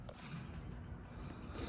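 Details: Weber Genesis 310 grill igniter after fitting a new cap with a Duracell battery: near silence, then one sharp spark snap. The igniter fires properly; the old cheap battery was possibly the cause.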